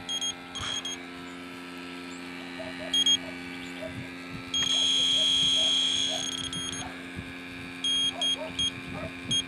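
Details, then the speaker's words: Electronic refrigerant sniffer on a refurbished R12 AC compressor of an '88 Jeep XJ: short chirping beeps, then a long steady tone after being knocked; a false alarm from the bump, not refrigerant. "Sometimes what will happen is if there's one leak, like the other day, I had the equipment all hooked up to this port, and because it had fresh freon going in and out of it, it showed leaks everywhere. Kind of like right now. Yeah, see if you bang it."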